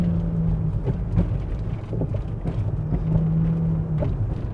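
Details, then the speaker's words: 1995 Mercedes E320 W124 wagon automatic with revs flaring between shifts under load; the upshift slips even after the modulator valve was turned almost a full turn clockwise; owner hopes adjusting the Bowden cable will tighten the shifts. "slip slip yeah we've turned it almost a whole turn clockwise to kind of tighten up the shifts"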